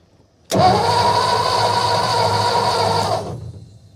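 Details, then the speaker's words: 1955 Ford F-250 sat over 40 years, spark tester on cylinder one, hot wire to coil: about three seconds of even cranking, never fires; no spark despite new points and condenser, distributor to be swapped for electronic ignition. "i do not see any spark what that means is the previous diagnosis is right"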